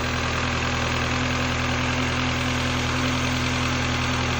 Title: N12 cold start with piston slap.